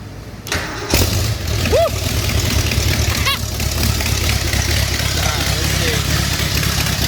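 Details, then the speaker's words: First start of a 5-liter V8 swapped into an MG in place of the 1.8-liter, after adding fuel: cranks, catches and settles into a loping, uneven, throaty idle that hunts. Rough untuned idle; owner suspects timing or fuel starvation. "the engine runs the engine runs it's a v8 and mg and it sounds just throaty and awesome so much better than the little 1.8 liter that was in there"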